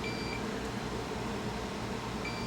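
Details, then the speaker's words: Dead household fan motor, multimeter in continuity mode on the winding, copper exposed where insulation should be: continuous beep shows the winding shorted, fused together and burned out; motor can't be repaired. "so I'm betting that there's internal shortage on these windings and uh this is shot let's just see if I can put the meter in beep mode here see it beeps"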